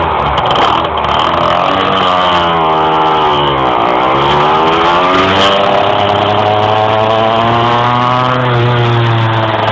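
Engine note climbs slowly and sags back while driving, the revs struggling to rise under load; some hesitation, cause not yet known. Cause suspected, not confirmed.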